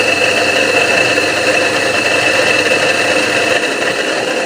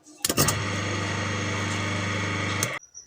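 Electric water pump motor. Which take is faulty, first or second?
first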